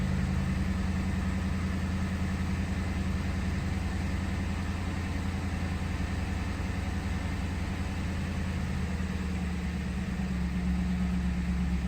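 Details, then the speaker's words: Ford Crown Victoria V8 idling just after its first start in two months following welding work (owner feared arced rod or main bearing): deep, steady burble, even beat, no knocks or misses; healthy and ready to roll. "Yep this thing's ready to roll I'm going to give it some uh little bit of idle time before it starts"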